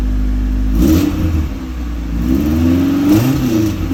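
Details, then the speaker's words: Newly installed exhaust on a car due to go supercharged: engine catches and blips, mild low rumble rising and falling with revs, subdued non-raspy note, very quiet, just a step up from stock, not obnoxious. "The exhaust at least is very, very quiet. I would say just a step up from stock. Not very loud, not obnoxious."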